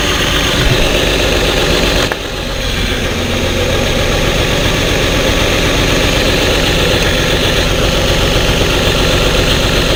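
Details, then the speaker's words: Truck engine, code P0350 and flashing check-engine light, coil-unplug test at idle after swapping coils: lumpy idle dipping as each cylinder is cut, no change with the bad coil, confirming misfire from a faulty ignition coil. "aquí ustedes pudieron ver la falla claramente verla y escucharla se dieron cuenta como a la hora de que les conectaba cada conector el sonido del motor cambiaba"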